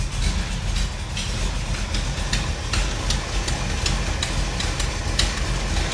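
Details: 1957 Chevy wagon 454 big block V8 idling after a new cap and rotor and a timing canister adjustment. Deep, steady rumble with a light, even tick on top: a normal, smooth idle.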